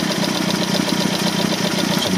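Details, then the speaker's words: Alfa 33 boxer engine with carburettors, long-neglected car: rough idle with rhythmic, cyclic tapping over the engine note, strange noise from one side; owner suspects a poorly closing valve and plans to check valve clearances; abnormal cyclic noise at idle. "không thích nó có thể là một van đóng không tốt. Nó cũng khá theo chu kỳ , đó không phải là một dấu hiệu tốt ."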